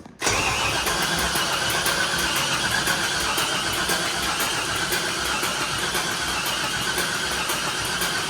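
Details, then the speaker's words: LS-swapped Nissan D21 Hardbody, refitted truck intake manifold, wiring harness issues; steady, even crank for several seconds but it never fires, puffing a little smoke; crank-no-start, cause unconfirmed. "I don't know I mean that didn't make any kind of bad sound I didn't make the sound we want to hear the stinky little motor"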